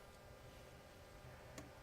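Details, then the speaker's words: New BougeRV 5 kW diesel heater at first startup, fan barely humming: diesel fuel pump clicks/clunks steadily, expected to quiet as it warms up; normal startup pump ticking. "All right, guys, the diesel pump is starting to click. It's a pretty good clunk there. Clunk, clunk, clunk."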